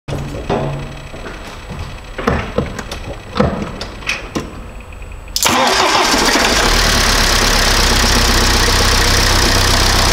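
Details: BMW E87 1 Series with N47D20 177 hp diesel, suspected timing chain noise: fires up into harsh fast steady rattle at idle; completely failed crankshaft pulley.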